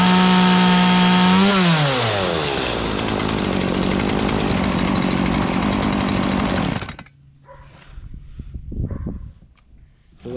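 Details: Stihl chainsaw on 50:1 gas-oil mix, started on the choke; one pull catches, the engine revs up and settles into a steady, even two-stroke buzz before shutting off cleanly. Normal start and run.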